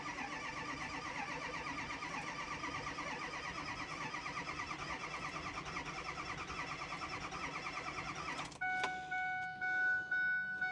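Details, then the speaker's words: A 98,000-mile 2010 Ford F350 with the 6.4 Powerstroke diesel cranks rhythmically for about eight seconds without firing. The owner suspects three cracked or melted pistons from a power balance test. "So unfortunately, I can't get the F350 to start. I'm guessing what's going on is the engine has either cracked or melted pistons."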